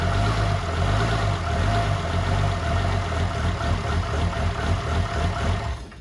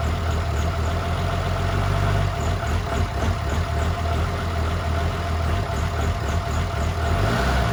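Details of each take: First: 2007 truck with 6.7 Cummins swap, 14 mm cam, first fire, downpipe only, battery about 10.5 V: deep, steady diesel idle with faint lope from the cam, otherwise smooth; normal idle with mild cam chop. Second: 2007 6.7 diesel swap (1400 hp build, compound turbos) first fire: deep, loping, hunting idle; rough from old dual-pump small-injector tuning and ~10.5 V with alternator disconnected; open downpipe exhaust.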